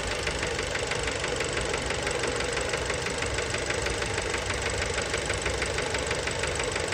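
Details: Fiat Bravo 2 1.4 T-Jet 150 HP, 215,000 km, after recent maintenance, recorded close to the engine: rough idle with busy, uneven knocking about three per second; worn rod bearings, cause unknown, car scrapped.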